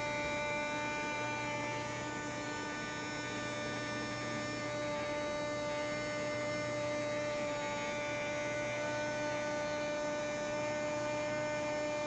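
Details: Luxman RX-103 receiver automatic door drive; constant electrical hum with a steady pitch and no change over time; cause unknown.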